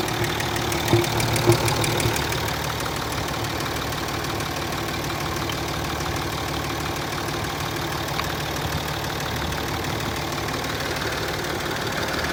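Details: Land Rover Discovery 3 2.7 TDV6 diesel, hot engine at idle: a faint, fairly regular tapping of about three per second rides on the running; a knock when hot, cause unknown.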